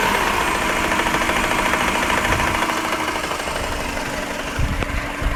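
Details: Subaru EJ15 boxer engine at idle: a fast, uneven tapping of about three knocks a second over the running engine. Internal engine knock, cause not identified.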